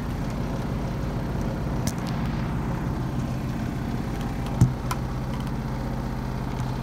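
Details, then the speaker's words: 2005/2006 Maytag Neptune washer at maximum spin speed; steady deep rumble with a fast, even shudder throughout the spin, vibrating hard; owner suspects an unsturdy or unlevel floor. "tting the washer is vibrating a lot noisy vibration you can hear that this you can hear that our washers vibrating"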